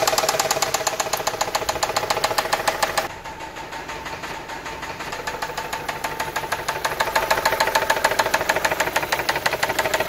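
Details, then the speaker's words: Running engine: steady hard knock at high or low rpm from worn connecting rod bearings with play between rod and crankshaft; must be repaired or rod can break loose and hole the block. "esto a altas o bajas revoluciones del motor es un golpe constante que se escucha"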